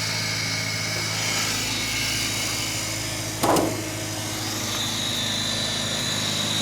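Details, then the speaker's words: Suzuki Samurai after swapping the 1.3 carbureted engine for a 1.6 throttle-body-injected one, with the fuel tank bypassed, new braided stainless lines and a larger return line; steady, even low drone with hiss and one brief clatter, running smoothly with no stumbling or surging. "i put in a 1 6 throttle body injected in place of the 1 3 carbureted she runs like a dream now with that guy right there"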